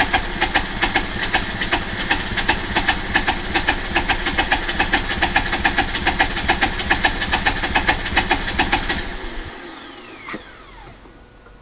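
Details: RX8 110000km 2004 rotary engine with broken rotor side seal: very rough idle with pulsing, hissy air suction beat, then shuts off; power loss, pulsating noise grows louder with throttle.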